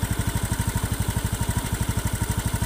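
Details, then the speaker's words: Hot Honda Beat FI scooter engine idling and on throttle with a coarse, rough clicking knock on every firing pulse; rough only once warm, with weak power on climbs; found to be a loose valve guide, suspected piston damage. "Bukan ini suara ini Ketika saya gas atau langsam seperti ini ada suara kasar seperti ini ngiklik seperti ini"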